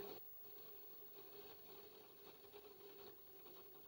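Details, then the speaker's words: Commodore PET 2001 8K built-in datasette rewinding a very long cassette tape: faint thin motor whirr under room noise, slowing as it fights the load; drive motor labouring on rewind, which can also cause load errors. "I'm going to rewind and you can hear that this is struggling it is struggling it's getting"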